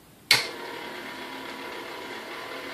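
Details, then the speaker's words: Vintage avocado-green KitchenAid 4C stand mixer after a service, low-speed check at speed 1 of about 60 rpm: a brief click at switch-on, then a steady, even gear whir with no grinding or knocking; running smoothly. "now at speed 1, like I said, you want to have about 60 revolutions per minute, so, you know, 1 revolution per second."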